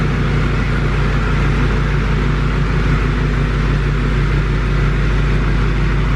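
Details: Duramax LML diesel with a new long block, run outside at a steady 2,000 rpm for a 5-minute break-in cycle: even, deep drone free of knocks or rattles, and no major puddles. Normal running.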